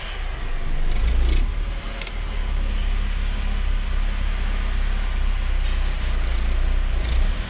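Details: Mitsubishi Space Wagon that would not start (no spark from distributor) after distributor repair: engine picks up cleanly on blips then settles to smooth even low rumble, no stumbling; runs right.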